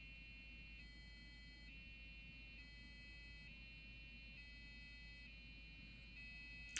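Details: Old custom-built Athlon PC, MSI board, AGP card, salvaged DDR RAM: steady two-tone warble switching pitch about every second while trying to boot to Windows; cause unconfirmed, probably an overheat alarm.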